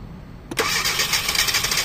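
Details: 2012 Hyundai Accent automatic with ECU already replaced and new spark plugs: the engine catches sharply, then runs raspy and choked and never picks up. Exhaust restriction is suspected.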